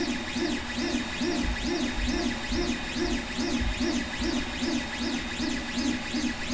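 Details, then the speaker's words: 5 Plus 3D printer running: stepper whines rise and fall about twice a second as the axes sweep, with a fan hiss. Y-axis movement is notably loud. This is normal motion noise. "Ela também tem um bom ou ido nos motores não fica de fora não ela a movimentação dela principalmente no eixo Y ali ele é bastante barulhento e ter ele é esse ruído"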